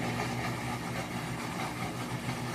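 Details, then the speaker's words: Whirlpool WTW4816FW3 top-load washer, bought 2023, on rinse and spin but not adding water. A loud, steady crunching grind while the drum spins; the drain pump was later replaced and the washer then seemed to work. "It's making that loud grinding noise. I don't know what that noise is supposed to be about."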